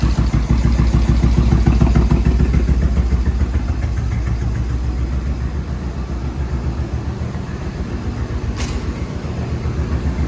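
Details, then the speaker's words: Suzuki VS1400 Intruder V-twin, cold start after carb work: low, lopsided, weak idle thump; front cylinder warming, rear ice cold and not firing; rear carb needle stuck in emulsion tube, debris possibly from a breaking-down air filter. "Front one's starting to feel a little warm. The back one feels ice cold."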